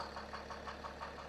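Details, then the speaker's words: BMW 430d xDrive diesel, non-runner, ex-Cat S rear damage: quiet idle with light regular tapping about six or seven knocks a second over diesel clatter; major internal knock, cause unknown. "just bought this 430d X-Drive for a very good price, main reason being that it's a non-runner. It was starting when we first bought it with a mad knocking"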